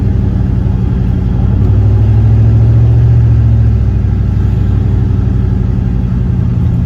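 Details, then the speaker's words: Turbo LS V8 Caravan driving under load during lunchtime tuning, little ignition timing and no knock sensors fitted (removed after false knock): deep steady V8 drone swelling and easing, no knocking, rattles or misses, sounds healthy. "It sounds healthy. I'm glad I don't have much timing in it, and I don't because knock sensors."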